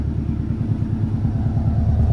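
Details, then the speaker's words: Subaru STI-coil-pack build at idle after new OEM STI coil packs and one-step-colder spark plugs, fitted to cure spark breakup and knock seen on the dyno: deep, even boxer rumble with no misses, already noticeably smoother; normal idle. "right off the bat it already sounds smoother so that's a huge plus"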